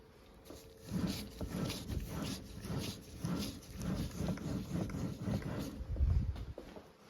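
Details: Muncie M20 4-speed manual gearbox spun by hand: rough, uneven low growl rising and falling, suspected worn input shaft bearing, compared against another M20; cause not confirmed.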